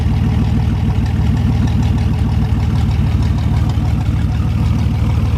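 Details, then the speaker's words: 1973 GMC 432ci V6, pulled from a parted-out truck in 2019 and unstarted for almost five years, run after prep: even, deep idle with a regular firing beat and no misses, knocks or ticks. Normal idle. "love the way these v6s sound"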